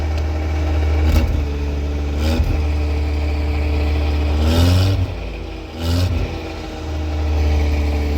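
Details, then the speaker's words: Wrecked 1988 Ford Ranger, running with fuel pump and relay working: catches and settles into a steady, even idle with a couple of light throttle blips, no knocks or misses; normal idle. "Alright, she runs."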